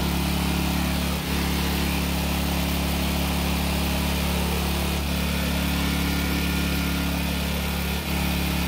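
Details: Long-stored Generac generator after the carb was sorted, running a small space heater as a light load: a steady, even drone with a constant low hum and no misses, knocks or surging; running normally.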